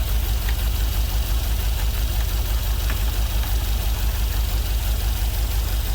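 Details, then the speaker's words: LS-swapped GMC Vandura, first start after ECU flash and wiring sorting: lumpy, uneven V8 idle with a dead-cylinder stumble, running on five cylinders; a couple of injectors suspected not firing; misfire at idle. "It's only running on 5 cylinders. Looks like a couple of the injectors aren't firing."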